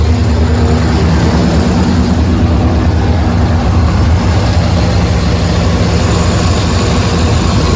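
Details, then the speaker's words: 1994 Chevrolet C1500 pickup, 5.7L V8, just after water pump replacement, parked on ramps and restarted: steady low burble, even firing, no knocks or squeals; normal idle, no leaks seen. "So, best I can tell, everything's working. We're gonna call it fixed. I'm gonna let this idle here for a little bit, make sure it's not leaking."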